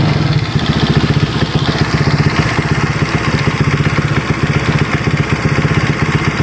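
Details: Honda Vario 150 keyless scooter that suddenly died and would not start (fuel pump pressure normal, about 40), after repair with radiator coolant refilled: steady, even idle with regular quick beat, no knocks or rattles; healthy.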